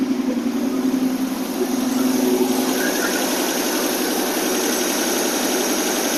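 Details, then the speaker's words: 1960 AMC Rambler 287 V8 with rebuilt carburetor, after fixing vacuum, fuel and exhaust leaks, cold with choke on: steady fast idle about 1,200 to 1,300 rpm, smooth V8 burble, no manifold puffing or ticking; normal fast idle. "okay we're about 12200 fast idle now actually about 13 might have adjust that a little bit later it sound so much better"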